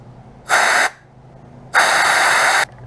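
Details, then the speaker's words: 1981 Yamaha XJ750 Seca carburetor being cleaned. Two sharp puffs of air, each with a thin steady whistle, show air now passes through the stubborn, previously blocked passage in the third bowl; a little airflow is all that's needed. "if i can get it to whistle can we hear it that means there's just a little bit of airflow through there which is all we need"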